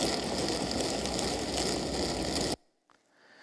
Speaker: this is cavitation this sparkling like you're frying a pan with bacon this is the bubbles collapsing creating these sparks of noise which can be very loud